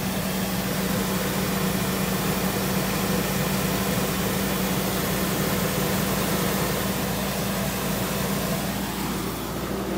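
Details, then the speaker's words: 1995 Toyota Previa, left sitting in very cold weather with a dead battery, jump-started from a 3S LiPo jump pack once a faulty one-sided jumper clip was connected correctly; starts and settles into a steady, even low idle with no knocks or misses. "yeah this thing is super dead fail okay nevermind this power so let's see if it starts"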